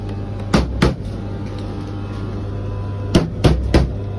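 Steady drum hum broken by pairs and triplets of heavy thuds roughly a third of a second apart; something is knocking inside, cause unclear.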